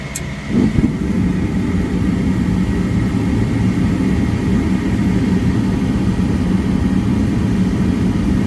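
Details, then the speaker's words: Downstairs furnace unit, call for fan not turning on, heat mode: blower starts with heavy low rumble and coarse rattling buzz, settling into a loud steady drone while shaking. Tech thinks bearings sound clear but loud on startup, suspects overamping and shutting off. "I think the bearings sound clear, but they're pretty loud on startup."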